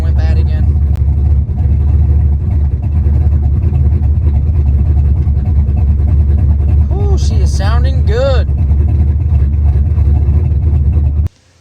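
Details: Warm turbo 383 small-block Ford V8 after new rocker arm install: deep, even idle burble with no ticking or misses. Normal idle, with the previous ticking fixed.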